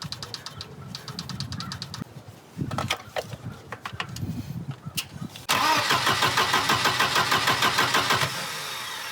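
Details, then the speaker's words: Volvo 240 after timing belt replacement: starter spins the engine in an even churning rhythm, about three beats a second, but it never fires; fault traced to the ignition module connector. Crank, no start. "well we're gonna have to hunt the New START issue now go ahead and double-check our timing marks"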